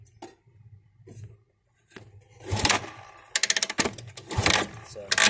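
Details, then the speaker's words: 1979 Honda CB400T Hondamatic 2-speed project bike, dead battery, oil low, spark unchecked; slow kick-over bursts with a chuffing push each stroke, no firing; engine turns freely with good cranking compression. "you can hear compression there."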